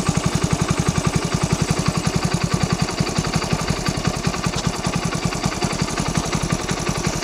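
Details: Splendor single-cylinder motorcycle after throttle body cleaning and idle screw adjustment: quick, even putt-putt at steady idle with no hunting or dying off; idles cleanly and stays running.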